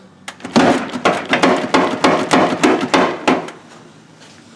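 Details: LS-swapped Mazda B2200 driver's door: run of sharp, uneven hollow knocks about three a second, then quiet; loose rattle inside the door, cause not yet found.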